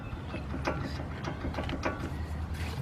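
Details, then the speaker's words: 2003 Lincoln Navigator front hub turned by hand during rotor replacement: irregular metallic clunks and clicks while the axle stays still; CV joint has a lot of internal play, both axles need replacing soon. "see the axle over here is not moving so there's a lot of play inside this joint so you know she's going to need both axles soon"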